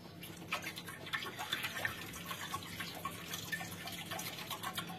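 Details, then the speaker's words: Xpander muffler (exhaust) shaken with the engine off: irregular watery sloshes and splashes as nearly 2 liters of trapped water move inside, water that can corrode the muffler. "itu ya terdengar seperti ada airnya di dalam total bisa hampir 2 liter ya jadi Air ini tadi tertampung pada knalpot expander ya"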